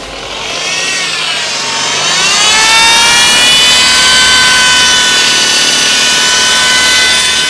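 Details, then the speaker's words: BMW 8-speed automatic gearbox, car on lift: quiet at idle, then a loud harsh whine from the gearbox when revved to 2500 rpm in free rev, worse when colder; traced to the internal transmission oil pump, and the gearbox was removed for teardown. "空踩油门的时候，变速箱这个位置声音非常的响啊。那这个声音呢，就是来源于我们变速箱内部的头泵啊，也叫油泵，因为变速箱里面它也需要一个油泵来泵油嘛啊。"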